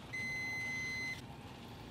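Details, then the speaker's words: Rinnai tankless water heater during descaling: steady high beep about a second long, short pause, repeating; below temperature and showing error code 11, no gas so it cannot ignite. "as you can see or you can hear that the machine is beeping because it's below temp and it's coming up with a number 11 because that's a failure it basically has no gas so it can't ignite"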